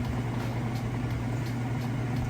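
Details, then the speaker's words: Whirlpool Estate top-load washer, first spin at end of wash cycle before rinse: steady, even low hum, fast, smooth and balanced with just a touch of vibration and no knocking or thumping; normal spin cycle. "it's its first spin it's been a nice and fast smooth and balanced see just a touch of vibration but that's to be expected"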